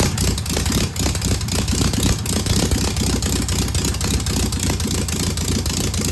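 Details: Single-port air-cooled engine idling just after its first start on a known good carburetor: loose, lumpy chatter at about four beats a second, steady with no misses or knocks. No smoke or leaks, a good running engine.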